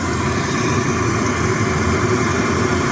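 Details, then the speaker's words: 2 kW Chinese diesel heater on diesel, just set to full power and warming up before being dropped to minimum: constant rushing blower roar with steady burner note, no sputter or misfire; normal running at full power. "There we go. We're on full power. Just give it a bit to warm up, and then I'm going to drop it down to the minimalist."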